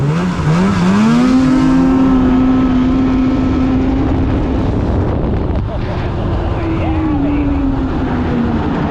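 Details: 2016 Polaris Indy 600 SP snowmobile after plugged fuel filter fix and new Ultimax belt, grass dragging without snow: note climbs quickly then holds strong steady high pitch under full load, no stumbling, hitting needed rpm; healthy full-throttle pull.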